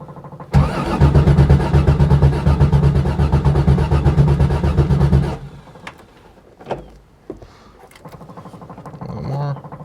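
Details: Corvair-powered Baja Bug, first start after six months sitting, cold weather: steady starter chugging for about five seconds that never catches; hard start, owner unsure if it needs choke; key must go fully off before retrying.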